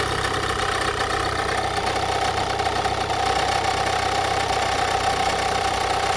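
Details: 2017 Renault Kadjar 1.6 dCi 130 hp diesel just after cold start: steady mid-pitched whine over a dense, rattly idle, starting 2–3 seconds after ignition and lasting about 10 seconds; abnormal noise after cold start.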